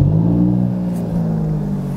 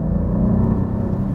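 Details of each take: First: Cold start of a 2019 Alfa Romeo Giulia Quadrifoglio not yet driven that day, recorded at the exhaust tips: deep note flares high on firing, then eases to a steady, even fast idle; normal healthy cold start. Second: Alfa Romeo Giulia Quadrifoglio, about 18,000 km, idling in neutral: deep, coarse, lumpy exhaust rumble likened to a three-cylinder 1.0 TSI, no longer the fine sound it had at a few thousand km; cause unknown, possibly hard use.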